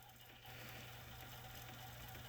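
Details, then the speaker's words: Sony stereo cassette deck B trying to rewind: low motor hum jumps up and a thin high squeal comes and goes, then it misfires and goes to fast-forward; left pinch roller suspected then doubted, cause unclear. "can hear that squeal so obviously it's miss something that something in there is misfiring you can hear two squeal it tries it wants to go and read whine but at the same time it misfires and goes straight to fast-forward"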